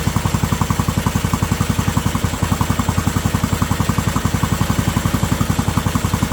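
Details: Briggs & Stratton Intek 18.5 HP engine on a Yard Man riding mower, after a new carburetor, fuel filter, air cleaner and spark plug, valve adjustment, new oil and fresh fuel. Crisp, even exhaust beat of about 220 pulses a minute. Running normally.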